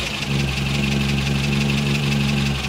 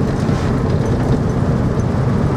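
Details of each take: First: Morris Minor petrol engine before ignition repair, running on three cylinders: lumpy, uneven idle with a regular stumble in the beat, one cylinder dead; ignition problems causing the misfire. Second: Morris Minor petrol engine on the road after ignition repair: even low drone, no misses, pops or stumbles; no longer threatens to die when slowing down.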